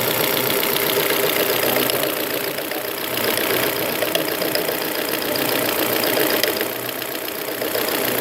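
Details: 2001 Volvo V40 1.8 bi-fuel, timing belt replaced, oil and filter changed, no warning lights: sharp ticking about 3–4 per second over an even idle, loudest up top, comes and goes suddenly; cause unknown.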